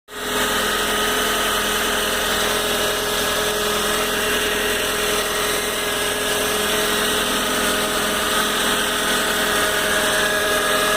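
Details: Car engine with a constant whirring, whining tone over steady running, present in the morning and fading once the car has driven a lot; cold-start engine noise, cause not clear.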